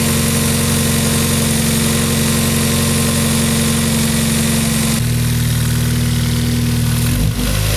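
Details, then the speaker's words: Mazda MX-5 Miata engine just reinstalled, first start after retightening and refitting belts: steady even hum with smooth drop in pitch, no abnormal noise; engine runs round and healthy. "je pense qu'on est d'accord pour dire que le moteur a l'air de toi on est bien rond il y a pas de bruit normal"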